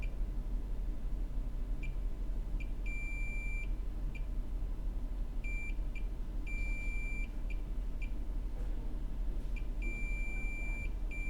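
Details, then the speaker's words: iPhone 6 not charging, board probed with a multimeter: high-pitched meter chirps, then an unbroken beep held about a second on a capacitor that should not reach ground; capacitor has continuity to ground, a short. "all right so we have a short on whatever that guy is"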